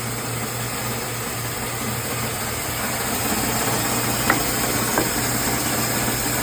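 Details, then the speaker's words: Refurbished BIRO 3334 band saw, 3 HP TEFC motor, non-slip V-belt, 124 x 5/8 in blade at 3,200 ft/min, 220V three-phase: constant low motor hum, smooth unchanging tone, no grinding or slapping; normal running. "It's fitted with a 3 horsepower TEFC motor turning a non-slip V-belt."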